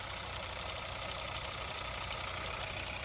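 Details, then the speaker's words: 2022 Kia K5, 29,000 miles, direct fuel injection engine at idle: light fast even top-end ticking over smooth idle, no deep knock; normal direct-injection tapping, motor sounds good. "that tapping in the top is because it's direct fuel injected just for anybody that doesn't know but the motor sounds good"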